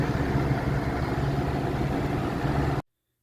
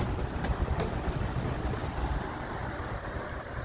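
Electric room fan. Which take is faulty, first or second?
first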